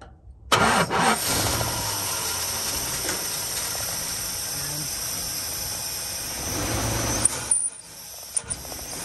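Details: 1975 Dodge D200 crew cab, 360 V8, four-speed, long sat: catches straight away and settles into a rough, busy run with the coil jumped from the battery, as the failed ignition switch gives no start.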